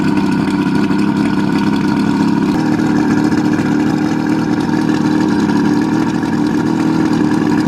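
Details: 1971 Marlin boat's Mercury 1350 two-stroke outboard, first start in over 20 years after being pumped up: steady buzzy drone holding even revs at constant pitch, no misses or knocking; runs cleanly, normal running.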